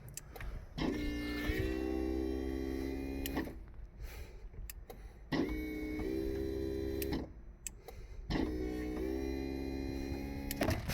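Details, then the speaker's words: Porsche 996 convertible top, roof control unit replaced with one from another car after nothing worked: three smooth, even electric motor runs of about two and a half seconds with steady hum; roof now operates normally. "I'm going to hit the switch before nothing worked at all I'm going to switch here hear that that's working"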